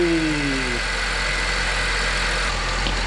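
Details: 2010 Honda Civic after alternator (seized pulley) and serpentine belt replacement: brief falling whir at start-up, then steady even idle with no belt squeal or chirp; alternator charging 14.5 volts.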